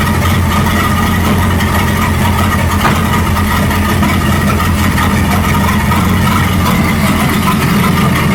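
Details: 1937 Buick Roadmaster with a steady, smooth drone that never settles to low idle; an unused starter solenoid holds the throttle open too far regardless of idle screw setting.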